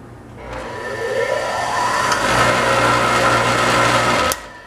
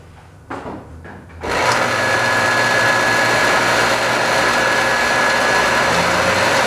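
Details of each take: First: Scrap-saved single-phase motor started with no load at about half voltage, pulling the supply down to 80 V: the hum climbs slowly in pitch for over a second before settling to a steady whine; sluggish start, cause suspected, not confirmed. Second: Scrap-saved single-phase air compressor motor with a run capacitor, unloaded and run on its full 240 V design voltage, drawing about 2.2 A. Clicks, then a smooth, constant hum.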